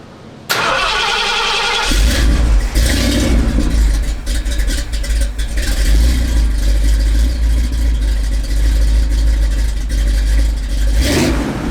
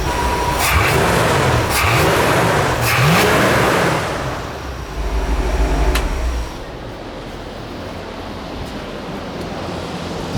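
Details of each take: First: Big block freshly swapped in, with near-straight-pipe dumps, hot: cranks and catches, then a lumpy, wavering idle; owner feels it is starving for fuel, but the spark plugs look good, so he suspects idle mixture rather than jetting. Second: Big-block 460 V8 (swapped in) after idle mixture screws were corrected, about 15 inches vacuum at idle: a couple of revs, then an even, steady idle with no misses or knocks; air-fuel and idle good.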